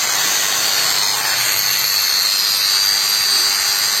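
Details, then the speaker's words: Makita hand grinder tested after replacing worn bearings that had made it sound rough: steady, even high-pitched whir with no rasp, rattle or speed wobble; runs smoothly after the repair. "kita lakukan pengujian ternyata mesin berfungsi dengan baik"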